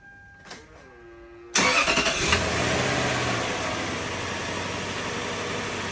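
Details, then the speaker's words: 2002 Lexus LS430, first start: starter spins briefly, engine settles into a smooth even idle, a lot quieter with no whistle or whine, though stereo whine with Bluetooth remains. "That seems a lot quieter. Seems a lot quieter."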